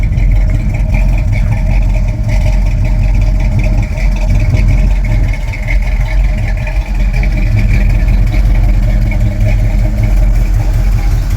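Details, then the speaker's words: Pontiac Trans Am V8 idling after a test drive: a deep, lumpy rumble with a fast puffing tick from an exhaust leak at one passenger-side header. The owner plans to seal it with JB Weld exhaust sealer. "can still hear that exhaust leak on the one header on the passenger side here."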